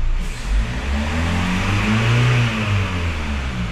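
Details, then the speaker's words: Kia Sorento after replacing valve adjusters: engine revs up cleanly and settles on throttle release with no ticking left behind, where before a lingering tick followed releasing the accelerator; valvetrain quiet and healthy. "Yan, okay na siya mga boss. Dati pag bitaw mo ng accelerator, may paiwan siyang lagatik."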